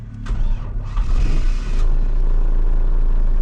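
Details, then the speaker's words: Vauxhall Cavalier GLS TD diesel after theft damage to ignition barrel and switch wiring, started on jump leads without a rev; brief cranking, catches cleanly and settles into steady, even low idle rumble; healthy start. "Yes, it does. No problem at all."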